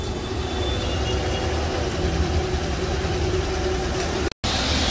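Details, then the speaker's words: Car AC compressor, noisy after about 10 minutes, after a plastic-based fix, five minutes of running: steady even engine and compressor drone with no creaking or rattle; compressor running smoothly so far. "ini udah lima menit terpantau masih aman enggak ada bunyi berderik dari kompresor setelah di plastik"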